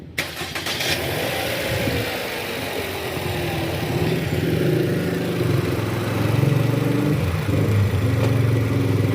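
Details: 2012 Toyota Camry 2.5 V, 2AR 2.5L petrol, 106,000 km, after balancer shaft replacement and tune-up for cold-start rattle at oil pan: cranks, catches quickly, smooth steady idle, no knocking; normal start and idle.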